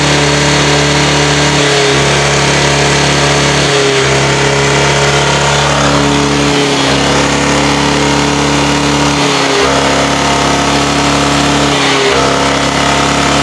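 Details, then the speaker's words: Honda Vario scooter eating spark plugs within about a week, with a clogged catalytic converter. Exhaust back-pressure skews the oxygen sensor reading and the mixture. Repeated throttle blips swell and fall back without climbing freely, so it can't rev out. "macam itu tidak bisa losos ya tidak bisa teriak"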